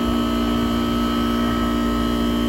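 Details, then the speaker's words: Goodman AC system on a no-cool call, R22, compressor running very loud with a steady drone, fixed hum tones and a buzzy undertone, drawing about 8 amps against 12.6 RLA, 10° superheat; loud compressor noise, cause unclear, possibly struggling. "that compressor sounds like crap though i think it's so loud i guessed wrong on it it just sounded like it has having a hard time"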